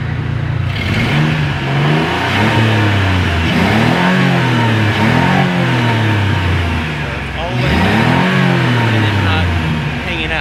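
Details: 2000 Ford F-150 after replacing throttle position sensor, whose fault (blamed on ethanol fuel) cut fuel past a throttle point: repeated blips climb and fall smoothly, no stutter or fuel cut; healthy.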